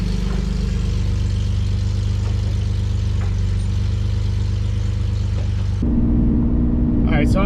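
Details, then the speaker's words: BMW E46 with M52 engine and headers, after welding in a resonator believed to be from an X3: steady deep exhaust drone at light cruise with no rasp, smooth rise on throttle, close to its earlier stock-manifold sound. "got a resonator from the garbage that I think came off of an X3 on there and now it sounds a lot more like it did when it was uh stock manifolds and all that with the uh muffler delete much better so far"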